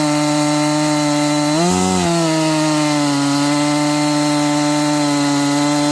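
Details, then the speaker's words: New Husqvarna 268XP two-stroke chainsaw with a 24-inch bar and full chain, first cuts of slow break-in: a steady wail that slows and speeds up under load as the new engine starts to wake up. RPM surging under load. "You cannot listen in the first couple cuts. You can hear it. It's kind of slowing down and speeding up. This thing's starting to wake up."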